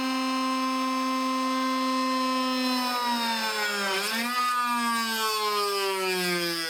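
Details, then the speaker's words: Shariff DMC2 CNC cutting 6061-T6 aluminum with a 12 mm tool at maximum load: a steady spindle whine sags sharply and never recovers, then the e-stop is hit. The spindle stalls under overload. "the first test with the 12 millimeter tool completely stalled you can hear it bog down and then i hit the e-stop"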